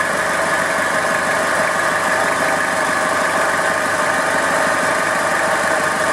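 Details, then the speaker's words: Toyota Hilux 5L diesel at idle: steady clatter with a constant busy whirring over it; owner suspects the alternator, which sounds a bit lumpy, unconfirmed; accessory noise at idle. "so we got a bit of noise going on with us now I'm thinking it might be the alternator"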